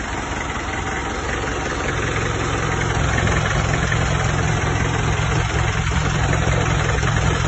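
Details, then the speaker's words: 1994 Isuzu Panther 23 diesel, first owner, 30 years old, 350,000 km, engine never overhauled, mild smoke. Steady low clatter at idle with an occasional limp in the beat. Cause not pinned down. Uneven rough idle. "Kalau untuk suara emang agak njek gitu ya. Agak ada pincang."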